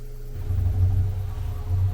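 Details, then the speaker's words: Furnace after swapping the PSC blower for an Evergreen IM 6005 ECM variable-speed motor, recorded up against the furnace: low, soft hum easing up in a slow ramp with a faint steady tone. Very quiet, normal blower operation. "so that's the fan running you can see it's a slow ramp up and it's very quiet I'm sure the microphone is amplifying it a bit but it's very quiet"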